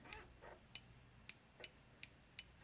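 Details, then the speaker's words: 2016 Ducati Diavel front brake lever micro switch, engine off, investigating brake light stuck on (fault later found in this switch's wiring); rear switch disconnect made no difference: sharp light clicks about every third of a second; switch clicks normally. "So at that point I decided to investigate the front of the bike, and whilst I could hear the micro switch"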